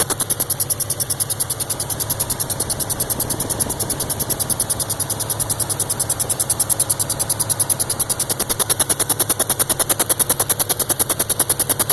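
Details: Subaru WRX running with a quick, steady chirp that seems to come from around the turbo inlet area; cause unknown.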